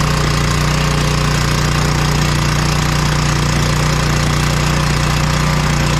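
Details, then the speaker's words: Power Stroke generator after carburetor cleaning for crank-no-start from old gas: steady even single-cylinder drone at constant speed, no misses, surging or knocking; runs awesome, no fuel leaks. "all right so she runs awesome no leaks under it no gas under it so that's good"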